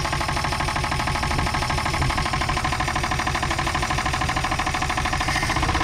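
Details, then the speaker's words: 1962 Chevy Biscayne, 235 Blue Flame inline six with 3-speed column manual, sat in a Nebraska field since 1969, first start; the engine was not stuck. Loud, hard rhythmic internal knock at about three per second over a rough idle, cause unknown. "oh yeah you can definitely hear how bad she's knocking over here though"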